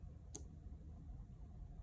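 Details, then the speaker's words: DC relay in a demo circuit switching a light bulb, power supply coil voltage being raised: one faint sharp click over quiet low hum as the relay contacts close; normal switching. "so now i'm going to turn on the power supply turning on the voltage if you listen carefully you're going to hear the relays"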